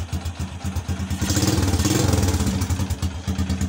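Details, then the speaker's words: Honda XRM single-cylinder motorcycle after replacing the rectifier regulator with a full-wave charger, running with battery removed: even, regular beat with no skips or stumbles as it picks up revs; misfire gone, normal running. "na siyang palya kahit walang battery okay na okay na goods"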